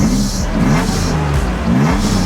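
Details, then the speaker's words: 1987 Nissan 300ZX with a small under-hood squeak noted before revving; the engine note climbs and falls smoothly through a couple of blips with no misfire or rattle, revving cleanly and sounding healthy. "Man, that sounds pretty good. I'm liking that."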